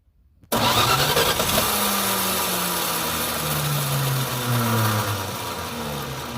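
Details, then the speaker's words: Plymouth Duster revived after sitting about two decades, just started and smoking: engine catches into a lumpy, uneven idle with wavering pitch and a sluggish note; owner suspects timing is too slow and fears it loaded up; rough running. "she's a smoker I hope it didn't just log up let's try it again"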